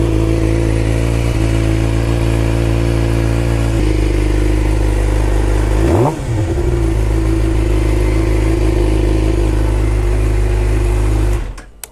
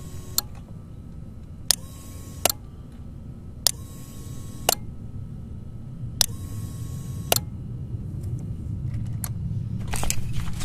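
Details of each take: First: 2011 Suzuki GSX-R 600 with a new, fully charged battery, started by bridging the starter relay terminals with the clutch in: engine fires and runs steadily with a quick rev, starter healthy; the owner suspects corroded relay contacts. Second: 2011 Suzuki GSX-R 600 with a new, fully charged battery, mic close to the relay: sharp single clicks about once a second with no starter motor spin; the starter relay engages but passes no current to the starter, a bad relay.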